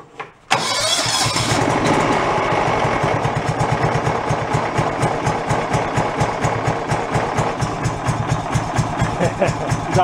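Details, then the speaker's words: Salvaged John Deere mower single-cylinder engine after getting it running: cranks and catches within a second, then steady, even idle about two beats a second; runs as it should. "fire it up and she does everything she should"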